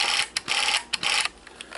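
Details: Battery-powered Sears Easi-Load Super 8 film camera recording: a light, high-pitched whirr in short, even bursts that start and stop cleanly; the film transport runs smoothly and normally.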